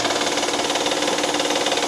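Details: 2012 Honda Pilot 3.5 L V6, engine running with a clicking complaint, heard from underneath near the crank pulley: fast, even ticking and slapping over the idle at the front of the engine; mechanic believes the timing tensioner has failed, internal noise, near catastrophic failure.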